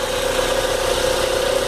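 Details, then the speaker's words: Chevrolet Vectra 2.2 16v petrol after the broken balance shaft unit was gutted (gears and shafts removed, lubrication outlet plugged): smooth, even idle with steady hum and no knocking or rattling. "tá sem barulho nenhum e funcionar Redondo defeito do carro crônico que resolve fácil"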